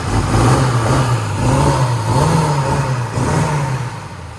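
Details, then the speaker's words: 1960 Corvette V8, first start in over 20 years after brake work and plug wire sorting, in neutral: deep, steady burble rising and falling smoothly with light throttle blips, no knocks or misses; sounds healthy. "What do you think? Sounds good? Yeah, I mean, the engine, that's really all you know. The engine's on. Yeah. And it doesn't sound bad."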